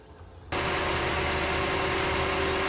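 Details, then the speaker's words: 2014 Lexus GX460 after a new auxiliary belt, tensioner and idler pulley: starts at once and idles smoothly and evenly with no chirp, squeal or rattle. "So I'm gonna fire it up, just make sure everything is running properly."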